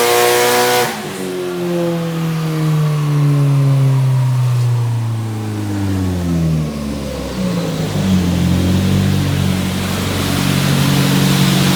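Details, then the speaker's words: Nissan 180SX Type X SR with TD06 20G turbo and 3" dump pipe, dyno pulls at 15 psi (255rwkw, injectors maxed): strong engine rising smoothly through the revs, a drop, then another clean climb, no misfire or stumble; a normal full-load pull. "Got it up to 15 psi, maxed out the injectors at 250 kilowatt, but it sounds really healthy and strong, so pretty much perfect for pretty much beginner to intermediate for 250 real kilowatt."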